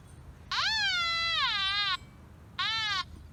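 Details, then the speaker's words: Nokta Makro Anfibio metal detector in pinpoint-only mode over a quarter: clear beeping tone rising in pitch as the coil centres on the coin, dropping away at the edges; normal pinpoint response. "I'm going to pinpoint only at least don't you listen to the pinpointing function I'm going to start with the quarter as well starting here with the quarter"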